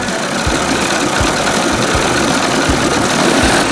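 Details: 1981 Evinrude 20 hp two-stroke outboard, not yet warmed up and smoking a lot, after the carb was opened a little: a rattly idle with irregular low thumps, about four a second. It keeps running and is much better, but the idle is still uneven.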